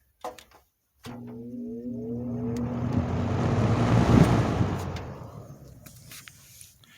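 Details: 1970s Lakewood 20-inch box fan, service and oiling history unknown, switched to high speed: a click, then a smooth hum rising as the blades spin up, an even whoosh of air, then a gentle fade; normal running.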